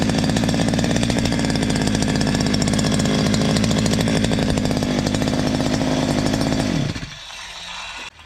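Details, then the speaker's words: Stihl MS 230 chainsaw brought in for a terrible noise, after the slightly loose exhaust was tightened: holds a crisp, even high rev for about seven seconds, then is cut off cleanly, no rattle or buzz. The clutch-drum washer play is normal; it runs normally. "a máquina toda perfeita realmente aqui o único ruído que eu encontrei aqui foi essa Ruela do tambor do peão essa folga É normal"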